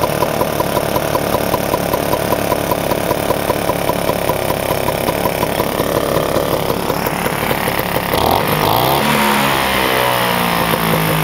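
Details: Vespa scooter two-stroke with freshly rebuilt head, restarted after cooling down, running 3–4% break-in oil mix: buzzy idle holding a fairly even beat, revs shift near the end, runs cleanly without misses or knocks; normal idle.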